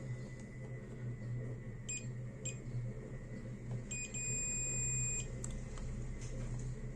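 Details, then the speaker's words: Multimeter on continuity range, probing an LED bulb's MCPCB from the plus pad to an LED point: two brief chirps, then a steady high beep about 1.5 seconds long, confirming the circuit path is connected. "फिर देखिए ये यहां से connected है।"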